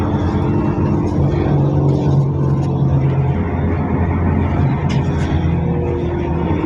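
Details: Mercedes OC500LE bus SMB107L on service 985, formerly at GBDEP on 190/190A, recorded while riding aboard: the engine was previously normal but now sounds like a big metal box, a heavy diesel drone under load with a hollow, tinny rattle; cause unknown.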